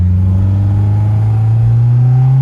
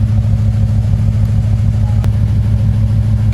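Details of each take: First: Honda S2000 project car, sat for years, suspected fuel injector trouble, now running right for the first time: smooth rising engine note under strong acceleration with no stumble, blowing carbon out of cylinder 3. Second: Honda S2000 with swapped engine, idling with flashing check engine light: steady low idle, even rumble with a slight regular pulse, no obvious knock; codes about to be read.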